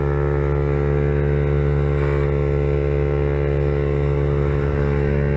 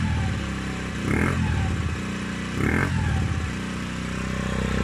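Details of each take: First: Peugeot Kisbee four-stroke scooter with newly fitted aftermarket exhaust: steady single-cylinder drone, then sharp irregular pops on throttle-off; exhaust backfire because the carburetor is not properly tuned and needs adjusting. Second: Peugeot Kisbee four-stroke scooter just fitted with an aftermarket exhaust, warmed up: even idle with short throttle blips that rise and settle cleanly; healthy idle, revs not high.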